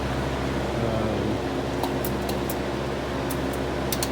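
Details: 1958-1959 Lasko-made Senak 20-inch four-blade box fan: steady, soft whir with a low, even tone and no buzzing; the motor runs slow and sluggish, needing oil.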